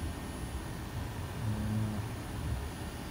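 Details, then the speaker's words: Outdoor condenser of a newly installed Trane 20 SEER zoned system replacing a 5-ton Lennox: a steady, even low hum, compressor barely audible, no knocks or rattles; normal running. "it is a beautiful system very get down quiet might be able to hear the compressor a little bit"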